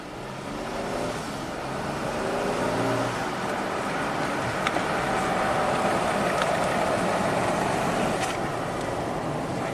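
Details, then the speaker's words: 2014 Jeep Grand Cherokee V6, 202k miles, after replacing the stretched transfer case drive chain that jumped teeth: hard acceleration on paved road test drive, engine pulls smoothly with no clunk or snap. Normal acceleration, no clunk. "smooth as butter it's a really smooth car really quiet"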